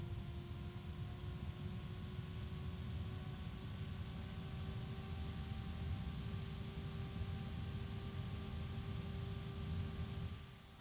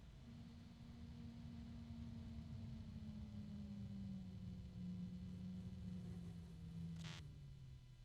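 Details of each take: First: Computer fan running at full (high) speed: loud, even rushing airflow with a steady hum and no ticking or scraping, winding down at the end; a normal fan flat out, though other fans such as the Delta are louder. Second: Fan set to low speed (should run 2,000 RPM) with its supply voltage being reduced: the hum sinks steadily in pitch, then a brief rasp and the whine fades as the fan stalls from too little power.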